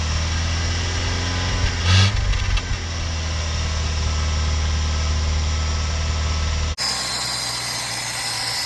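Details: 1987 Mitsubishi Sigma, manual, very low km, 2.6L Astron, first start after about 20 years unused, fed from a temporary fuel jug: catches and settles into a lumpy, uneven, deep-pulsing idle. Rough idle; heavy smoke, oil light off, then likely ran out of fuel.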